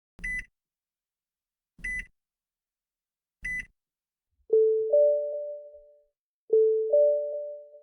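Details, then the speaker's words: Nissan in-car warning: for an unfastened seatbelt, three short high beeps, then two soft two-note chimes in which a lower and a higher tone sound together, part of Nissan's newer information sounds. "Das nächste Mal haben Sie vergessen, sich anzuschnallen."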